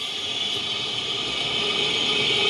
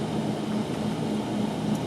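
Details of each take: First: 2009 Nissan Altima, listened through a Steelman listening tool on the front left wheel while it spins. A smooth, even hiss with a steady tone and no growl; this bearing is normal, and the fault is in the front right bearing. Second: 2009 Nissan Altima, heard through a Steelman listening tool at the right front hub: a steady rough drone with a faint low hum pulsing through it; bad right front wheel bearing, the left side shows no signal.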